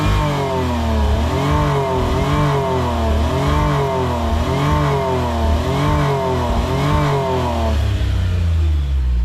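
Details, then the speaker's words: Suzuki Cara/Autozam AZ-1, fuel pressure 37-38: foot-to-floor throttle stabs, revs rise then stumble and fall back; hesitation, not the battery. "That is foot to the floor, so it's definitely not the battery."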